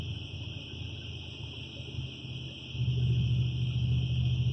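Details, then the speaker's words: Customer's truck on test drive, recreating a noise/vibration underneath: low, uneven underbody rumble swelling about halfway as throttle load comes on; suspected loose catalytic converter brick resonating, not confirmed. "i have had this happen multiple times where a loose brick in a catalytic converter will after certain throttle loads resonate and just vibrate"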